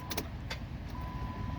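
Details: 2014 Chrysler 200 3.6, no crank, no start. A few sharp clicks as the key turns, with a chime and no cranking. Lights stay bright, pointing to a bad starter; the starter was then tapped with a hammer.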